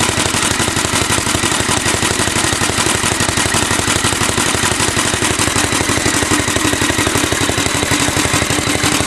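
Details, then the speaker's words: Alfa De Laval tank-cooled engine driving Century generator under 150 W load, belts whistling, somewhat smoky: rapid chugging beats at slightly uneven pace, lights pulsating; engine speed not constant under load though governor works. "see the lights kind of pulsating you know cuz the engine speed is not really constant but the governor works well"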